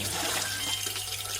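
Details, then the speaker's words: Samsung coin-operated washing machine: water keeps running into the fabric-softener compartment from Power-on without any cycle started, even when stopped; steady hiss and trickle, no motor. Dual inlet solenoid valve, softener-side solenoid stuck open. "เห็นไหมฮะเมื่อกดPowerนะครับน้ำไหลเลยนะครับทั้งๆที่ยังไม่ได้สั่งงานนะครับ"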